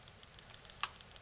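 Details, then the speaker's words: Dick Smith XG4182 10-inch digital photo frame that stopped working after running 24/7, screen and backlight removed: faint, fast, regular ticking several times a second persists from the board, pointing to a power-side fault with 12 V input present. "having completely removed the screen there I flick that on we're still getting that noise there something over here is not too"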